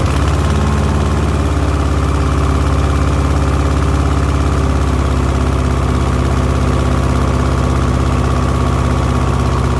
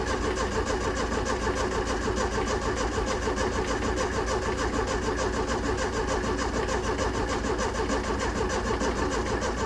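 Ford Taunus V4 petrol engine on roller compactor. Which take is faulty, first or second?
second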